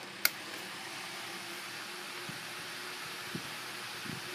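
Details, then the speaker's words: 1998 Windmere 7-inch desk fan model DF-7A, previously seized, on high with grille on: soft, even rush of air with faint steady hum, no ticking or scraping; runs smoothly. "it moves a lot of air even with the girl on imagine how it is with the girl off it's really really powerful"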